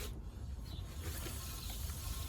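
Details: 2011 Skoda Superb rear wheel spun by hand turns with a soft, even low whir and no grinding or rumble; normal bearing, while the faulty bearing was on the left side.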